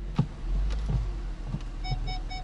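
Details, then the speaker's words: 2009 Lincoln MKS 3.7L V6 AWD, engine running in reverse near curb after replacing rear parking aid speaker on rear shelf for "Check Rear Park Aid" error; clear mid-pitched beep about four per second; rear parking aid tone now working. "and there you have it guys that's the sound of the rear parking aid speaker it is working success"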